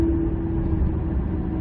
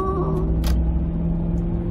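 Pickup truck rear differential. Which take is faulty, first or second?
first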